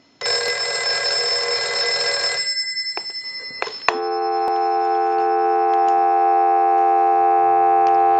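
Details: Western Electric 302 rotary desk telephone, bell rung through a line analyzer during initial checkout: a fast, even metallic ring for about two seconds, then a steady dial tone; the bell works normally.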